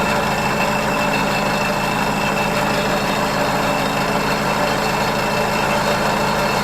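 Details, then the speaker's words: Ford 641 Workmaster tractor, first start after sitting at least 10 years in a pasture, newly fitted one-wire alternator: constant scraping hiss with thin steady whine over idle; drive belt rubbing the alternator fan. "I want bend the alator brackets on the belt is rubbing up against the fan on the alator that's what that noise is"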